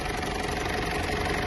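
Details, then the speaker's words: Mitsubishi L200 Triton 3.2 diesel after timing chain replacement with a semi-new original kit: even, steady idle with no tapping or rattle; the earlier timing chain noise is gone and the engine sounds healthy. "olha o barulho do motor agora pessoal Zerou o barulho Zerou o motor da tampa de válvula tudo certinho"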